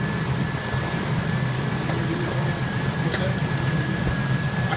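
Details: 2003 Ford F-150 idling with rear defroster, wipers and high beams loading the electrical system: steady idle with a faint constant high whine, no speed sag; the alternator charges at 14.7 V, so it runs normally.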